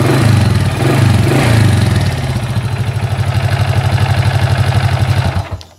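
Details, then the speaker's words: Honda Dream hybrid with a 110 block (EX5 class-one auto clutch conversion) idling: an even, soft beat with no auto-clutch rattle, then shut off. Engine smooth and healthy. "Tapi setakat ni alhamdulillah, you punya enjin AFI Dream ni kacuk 110 tak ada bunyi."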